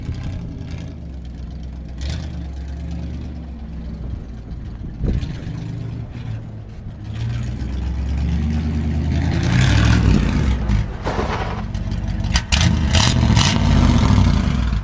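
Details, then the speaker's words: Junkyard BMW, first start after trailering: rough, uneven start-up with a lumpy low rumble and clattery bursts as revs rise; suspected serious problem, cause not yet pinned down. "Now I'm just gonna start it up and let you listen. I think this thing got some real serious issues. It does not sound right."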